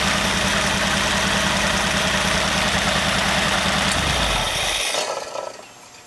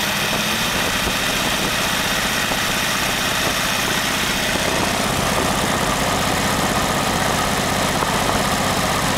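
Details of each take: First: Very old stock Studebaker 259 V8 with AFB carburetor and new Evans intake, restart test: even, steady burble for about four seconds, then shut off cleanly; normal idle. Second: Very old stock Studebaker 259 V8 with AFB carburetor and new Evans intake, first start, idling about 700 rpm: lumpy idle with a loose, uneven rattle from the front of the engine; loose water pump rattling, to be fixed.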